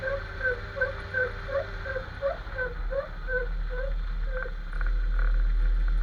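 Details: Jeep XJ driving: rhythmic rubbery chirp about three per second keeping pace with wheel speed over road rumble; owner suspects the front axle u-joint, boot looks unworn, steering stabilizer also considered.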